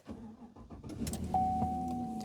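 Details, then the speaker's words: 2016 Chevrolet Silverado 1500 Work Truck, single cab 4x4 V8, one owner: short starter whir, then fires right up and settles into a smooth steady idle with a faint whine, no warning lights; healthy start. "And you can see there everything's very happy. Idle's nice and smooth."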